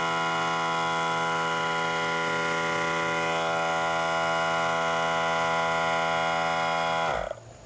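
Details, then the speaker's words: Central Pneumatic 95275 3-gallon 100 psi pancake compressor after replacing the leaking piston gasket/ring: steady motor hum and pump drone, then clean automatic shutoff at pressure; normal run, though a slow leak remains. "oh wait a minute that did shut itself off I didn't have to shut that off so how did that happen Okay that's interesting there must be some kind of electronic there must be an electronic switch that I do not see"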